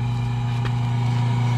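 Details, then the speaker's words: Automatic top-load washing machine set to spin: drain motor pulls and the wash motor turns with a steady low hum, but the tub does not spin; drains fine but no spin, fixed by replacing the gearbox. "So makikita natin dito, makikita ninyo umiikot yung kanyang wash motor."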